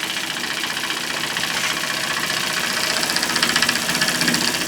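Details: Homemade single-acting oscillating steam engine on live steam at about 10 lb, safety valve near popping: steady quick chuff about three beats a second over a soft hiss; runs evenly and healthy.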